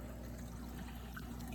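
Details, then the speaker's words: Aquamax HOB 1.5 hang-on-back protein skimmer, newly set up and wet skimming in a living-room tank. A quiet, constant trickle and burble with light splashes is normal water flow from the filter. "from here you can hear the water flow which is normal that's the water filter though"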